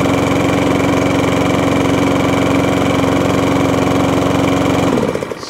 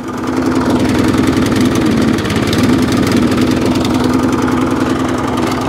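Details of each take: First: Discarded lawn mower, thought to be a 2017 model, primed, running smooth and even at a steady fast pace for five seconds, then cutting out cleanly; engine runs healthy. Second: Qualcast mower with a Briggs and Stratton Classic engine, primed, chugging unevenly with a wavering beat; runs poorly, and the owner says it needs a carburetor clean.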